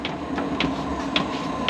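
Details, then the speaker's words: Vevor diesel air heater first test run on diesel, before install: light fuel pump clicks a few per second over faint fan hum, getting louder as fuel reaches the burner during startup; normal. "but it's heating up you can hear it ticking up getting louder and louder fuel's getting into burner getting ready to take off"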